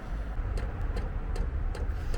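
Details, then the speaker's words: Vevor diesel air heater in a Fiat Ducato camper van, heard about 2–3 minutes after switching on: sharp regular pump ticks, two or three a second, over a low blower rumble as exhaust smoke appears; normal fuel pump ticking at startup. "Ça y est, on entend au bout de 2 minutes, 2 3 minutes, on entend la pompe de la fumée s'échappe du pour d'échappement."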